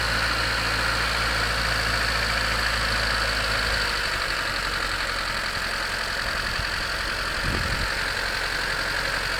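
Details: 1991 Honda CRX DX, D15B2 dual-port, 300,000 miles, cold start at about 30 degrees: a rough idle with a loose, uneven clatter over the engine hum. Owner is unsure whether it is rod knock, piston slap or valve clatter; it improves as it warms.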